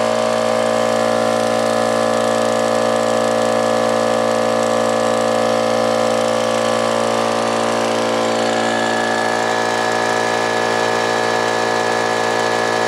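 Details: Old Brute air compressor, unloader valve leaking (check valve replaced, no difference), restarting after tank emptied via safety valve; fast pump clatter about three to four beats a second over coarse din, worn rattly pump.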